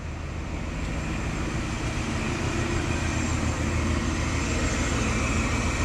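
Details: 1980-1986 Ford F-series/Bronco after 1G-to-3G alternator conversion, AC off, engine running: steady, even smooth low drone with no knocks or squeals; healthy engine, charging at 14.7 V.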